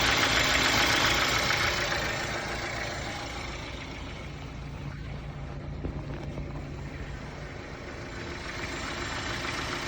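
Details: BMW N43 petrol four-cylinder idling with a steady knock about three or four times a second over the engine note; owner seeking help identifying it.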